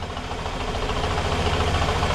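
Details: Fiat Brava started after sitting 23 years. Low, uneven throbbing idle with a lumpy, loping beat; owner wonders if injectors need cleaning and heard a knock that stopped with the clutch pressed; rough idle.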